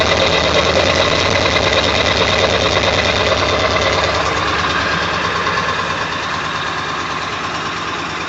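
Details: 1999 Ford F350 7.3L diesel, cold start after sitting for days, plugged in overnight, no check-engine light: diesel clatter with an uneven, lumpy beat near three per second; rough shaky idle, gone after restart; cause unknown.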